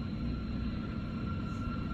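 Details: 2013 BMW 328i at idle in Park: a thin, steady high whistle over a low, uneven, shaking rumble. The cause is a vacuum leak from the failed PCV (crankcase) valve.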